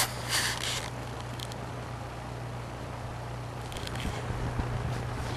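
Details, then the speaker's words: Toastmaster box fan, cleaned, on low (quiet) speed: quiet steady motor hum with a soft airy rush, no rattle or ticking — normal running. "blows a bit of air. Very quiet. There's a motor, just humming. Very good fan."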